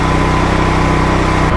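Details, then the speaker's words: Powerland PD10000E petrol generator after cleaning the carburetor pilot valve to fix surging with choke off: it now runs down steadily, holding an even engine note with no rise and fall in speed, no surging. "all right so i just want to show you guys this thing runs down properly don't hear a lot of surging"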